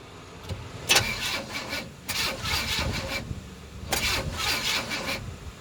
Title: Crank no start 1